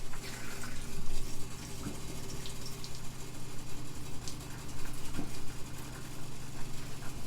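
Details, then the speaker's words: Water pump switched on to test new PEX cinch plumbing in a 1983 Coachman travel trailer: steady pump hum with hissing, splashing water as a fitting under the bathroom sink sprays. Water leak found. "Trying to figure out what leaks I have before I turn it off, but that's going crazy underneath that bathroom sink."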